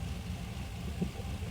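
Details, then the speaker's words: LS V8 with ACES Jackpot 2 drive-by-wire EFI and new ECU, after basic tuning, now in closed loop: steady even low rumble with no misses or surges; good warm idle. "Some basic tuning gets us good idle, gets us real close."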